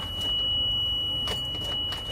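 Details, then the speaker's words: 2006 Thomas C2 Conventional school bus on a cold Monday morning, about -20; constant high-pitched Vandalock anti-vandal alarm tone, bus won't start; common Thomas C2 problem, mechanic suspects the rear door switch or door-closing issue. "it's a it's a good ol Vanda lock so now they won't start here"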